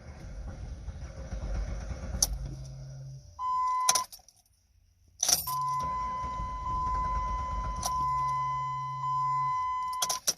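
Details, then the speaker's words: 2006 Jeep Liberty that died on the turnpike with about three-quarters of a tank and a recently replaced fuel pump: key clicks, chime and a brief pump hum, then cranking without starting. It's a fuel problem and the pump is suspected; fuel pressure is not yet checked. "see but it doesn't maintain it because it's definitely something wrong with the pump I can hear it let's try it again hang on"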